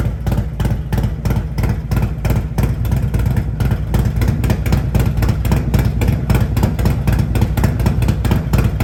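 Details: Harley-Davidson Road Glide at Stage 2 with an S&S 475C cam chest, professionally tuned to 114 hp, with TAB Performance exhaust: a deep loping V-twin idle with uneven pulses at about three a second, strong and steady; healthy.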